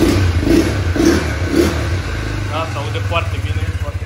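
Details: New 2021 KXD Renegade 200cc ATV, first start: single-cylinder catches and runs evenly, with crisp throttle blips that rise and fall cleanly; healthy new engine.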